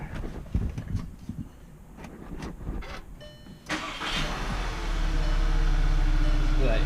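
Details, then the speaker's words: 2014 VW Tiguan R-Line after repairs for a bad PCV valve that blew oil seals: rear main, valve cover, upper timing and vacuum pump seals. Brief crank, instant start, smooth even idle, no check engine light; normal start. "instant start look that look at that see how it works no check engine check engine light"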